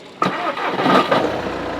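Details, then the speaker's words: Used SEAT Leon with an oil leak and an intermittent engine light possibly from an O2 sensor: quick crank, then the engine catches at once and settles into a smooth, even idle with no knocks or rattles; healthy start. "Sounds good to me."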